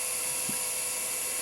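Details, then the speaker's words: Quantum Daytona 170S hard drive after being freed, spinning up after several tries: steady high-pitched whir at one even pitch with only a faint brief click; normal drive spin. "let's see oh it had to try several times but it worked now if it gets moved around it may not it may get extra stuck again"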